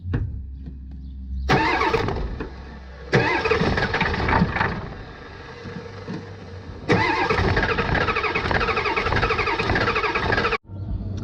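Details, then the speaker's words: 1989 Ford F250 7.3 IDI diesel after fuel system work, glow plugs cycled: long bursts of steady starter churning, no firing; fuel starvation from loose supply line, runs once tightened. "I guess I forgot to tighten down the fuel supply so now that I tightened that down let's see if she'll crank"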